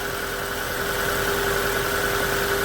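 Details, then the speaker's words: Hyundai Getz after replacing the hydraulic lifters, cold engine: steady, even idle with a light constant hum and no ticking or knocking from the top end; lifter knock resolved, with slight cold stumbles noted separately. "по гідрокомпенсаторах питання вирішено"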